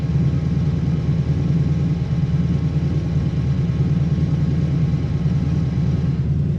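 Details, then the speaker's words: 1957 Chevy 210 hot rod barn find, engine and cam unknown: deep, lumpy idle with a wandering beat and shaky tach; runs better at higher speeds; rough idle, cause not pinned down. "You can see it's still running a little shaky though, because look at the tack, watch."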